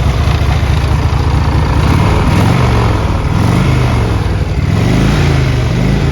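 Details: 1981 Harley-Davidson Tour Glide Classic FLTC Shovelhead 1340cc, 37,447 miles, starts well and has been ridden: deep loping V-twin idle settling evenly, a couple of light throttle blips picking up cleanly; healthy engine.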